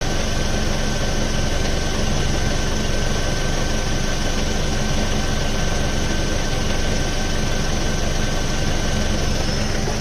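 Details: Ford Focus Mk2 2.0 Duratec, MTX-75 manual gearbox, at idle: dense fast low chattering rattle, continuous; disappears when clutch pressed, persists after full clutch replacement, not flywheel or release bearing per owner.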